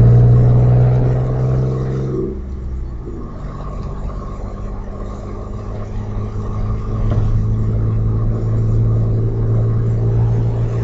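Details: Audi A4 2.8 12V V6 at idle: deep, uneven, coarse tractor-like chuffing, about three pulses a second; exhaust leak right after the flex pipe and before the cat, one bank open; since repaired, now running a Magnaflow muffler.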